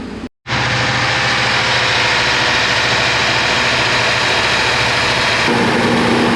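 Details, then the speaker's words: 1985 Mercedes-Benz R107 380 SL V8 idles way too high with a fast, steady busy hum; vacuum leaks ruled out, no power at the idle air control motor, traced to a faulty idle air control module, which was replaced. "this beautiful car is in here today because it's idling way too high we've already determined that it's not a vacuum leak all the hoses are good"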